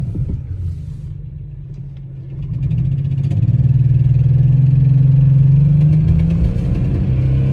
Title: Misfire cylinder 5 with unknown ticking noise